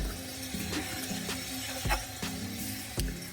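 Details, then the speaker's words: 2001 Ford SVT Lightning pickup, slow reversing: rough scraping clicks about once a second from the front brakes, sounding worse going backwards. Rotors, pads and wheel bearings are to be replaced. "This is my 2001 SVT Lightning pickup, and as I go down the street I can hear a little clicking noise or rubbing noise from the brakes. Here it is. It sounds real bad going backwards."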